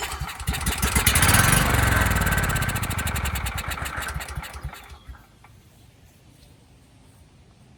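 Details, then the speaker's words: Briggs & Stratton Vanguard engine on Powermate 5000W contractor generator, sold as non-running with burned, pitted piston and no compression: fires on starting fluid without fuel in line, quick even firing beats about four seconds then dies; compression sounds healthy. "sounds good to me uh let me throw some gas in there and try starting it for real"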